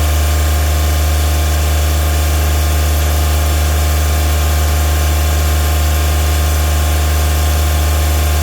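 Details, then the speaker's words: Kubota RTV1140CPX with D1105 diesel, after replacing a plugged muffler that caused black smoke and low power; steady even drone, revs much higher, black smoke virtually gone, normal running. "Well, I'd say that's much better. As far as the black smoke, that was virtually gone. And it revved up much higher as you could hear."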